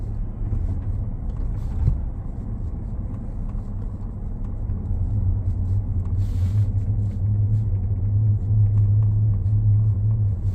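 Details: 2019 Ford F-150 Lariat 3.5 while driving: steady low drone under road rumble growing louder and firmer with speed; front-end hum suspected from IWE, 4x4 actuators or front differential, not confirmed.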